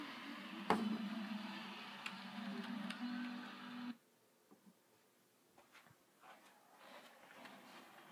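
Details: Corsair CX750 PC power supply: buzzy hum with fast, uneven clicking/ticking, then it cuts out, leaving faint clicks.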